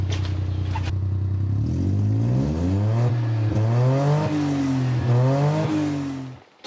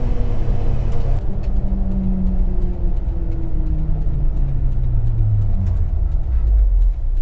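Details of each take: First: 1990 JDM Suzuki Carry 4WD kei truck after timing belt and water pump work; small engine blipped through several revs with a booming, droning note rising and falling with speed, far too loud. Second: 1990 JDM Suzuki Carry 4WD kei truck: low engine drone rises smoothly under load, no rasp, puffing or leak; exhaust note sounds sound and fairly quiet.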